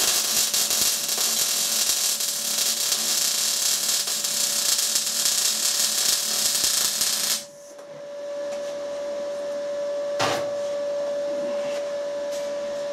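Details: Inverter MIG welder (180) running a spool, welding a mount for a phase converter. An even, crisp crackling sizzle lasts about seven seconds, then the arc stops, the right noise for a decent weld. Normal MIG weld sizzle.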